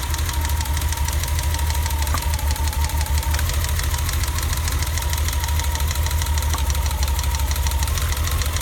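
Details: BMW E30 at idle after a new distributor cap and rotor: a low, choppy idle with an irregular thump breaking the rhythm. The misfire persists.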